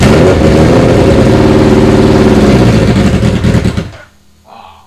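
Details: Neglected Suzuki Hayabusa engine, jerry-rigged on portable fuel cans after years unused, with choke held: crisp, even firing that picks up cleanly under throttle and drops back smoothly before cutting off. It runs healthy after only replacing a couple of injectors.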